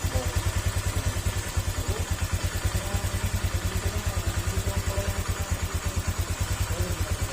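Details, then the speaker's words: Honda Click 125 V3 scooter with version 2 engine idling too low: slow lumpy near-stalling idle with heavy thudding knocks; low idle said to loosen seals and bearings, idle being checked with diagnostic tool. "kal mo Parang mamamatay kapagka ganyan mababa yung Menor at sa baba ng Menor na ganyan mga sir mer merong nasisirang parte sa loob ng makina"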